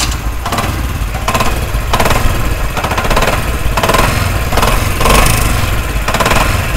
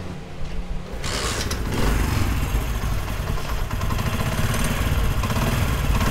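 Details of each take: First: Motorcycle engine at idle: heavy, rapid metallic knocking and rattling, sounding like a wrecked engine; a mechanic blamed the connecting rod and wanted a full engine opening, but the actual cause is a loose clutch hub nut. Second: Motorcycle engine after repair (parts washed and refitted): catches and settles into a smooth, even idle with steady low thump, no knocking or rattle; normal idle.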